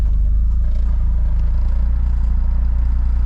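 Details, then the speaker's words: Honda CR-V with turbocharged B16 engine swap on Hondata S300 ECU, first start: fires and holds a deep, steady, even low rumble with no knocks or misses; normal healthy idle. "Oh, okay. Well, it turned on."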